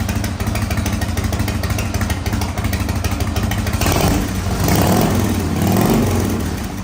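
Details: 1985 Harley-Davidson FXRS with Evo V-twin, first run after sitting 5 years, on fresh regular gas: steady loping idle that picks up cleanly on a couple of throttle blips; normal running.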